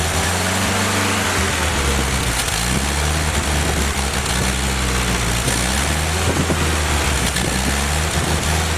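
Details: Rebuilt Willys F134 engine on a test stand without transmission during break-in, cycled about 800–2,200 rpm, about 40 lb oil pressure, 170°: smooth, even running rising and falling with throttle, no knocks, ticks or misfires; normal running.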